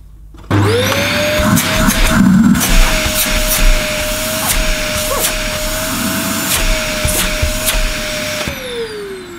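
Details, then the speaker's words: Dyson DC11 Telescope vacuum run with cyclone fitted: motor spins up to a steady high whine with a slight pitch dip as the suction relief valve kicks in; normal running, suction and motor seem healthy. "well i could fit i could hear the uh suction relief valve kicking in for that for dyson i mean it might sound very noisy to you on the camera on picking up on the microphone but sitting next to it it's not too bad for noise"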